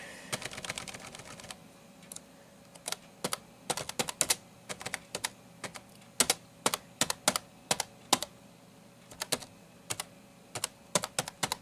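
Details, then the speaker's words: NEC Versa 6030x laptop keyboard (Pentium 133, 16 MB memory) being typed on; crisp, irregular clicky keystrokes come in quick bursts, even and rattle-free, and it sounds pretty good for a laptop keyboard. Normal keyboard typing. "here just uh type some so there you go that's some basic typing you can hear what the keyboard sounds like sounds pretty darn good for a laptop keyboard"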